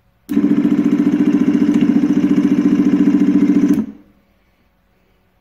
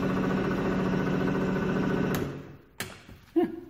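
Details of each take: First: 24 V motor of a glass bottom Sea-Spi run on a 12 V battery after its seized shaft was freed with vice grips: two bursts of motor hum with a coarse, uneven buzz, like a jet ski. It turns but rough; direction is reversed. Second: Glass-bottom Sea-Spi 24-volt drive motor run on a 12-volt battery after freeing its seized shaft with vise grips: steady motor drone, not smooth or quiet, then winds down with a couple of clunks; runs, but its direction is reversed.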